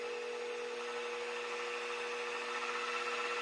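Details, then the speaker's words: Mini mill after a Little Machine Shop belt drive kit upgrade, running in low gear (up to about 1100 rpm): quiet steady hum, clean low tone, no clunks or gear chatter; normal running. "We're in low gear right now. That is so much quieter. No more of that gear grinding, clunking, clacking."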